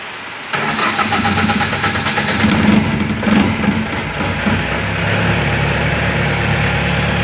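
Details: Diesel generator set after replacing a dead battery, manual start; cranks briefly, fires and settles into a steady, even run.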